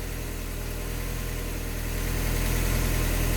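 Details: Automatic-transmission project car, warm idle after repairing a coolant leak from missed gasket material at the back of the block, with transmission fluid being checked hot: smooth, steady low idle with an even beat and no knocking or ticking; normal.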